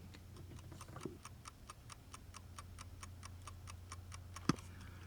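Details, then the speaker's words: 1969 Mercedes-Benz 280SE (W108), after instrument cluster and clock repair: crisp, even ticks about four per second over a low cabin hum; the repaired dash clock is working and keeping time. "Wait, do you hear that? Is the clock working? Listen to this, hold on. Okay, listen to this. The clock is working."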